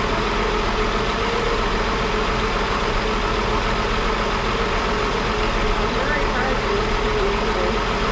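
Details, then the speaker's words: 1961 Ford Falcon Delivery, choke used cold, after exhaust fix, oil change and wiring work; steady even idle with smooth low burble, no knocks or misses; motor sounds definitely better. "she's putting that motor definitely sounds better guys i'm very happy about that right there"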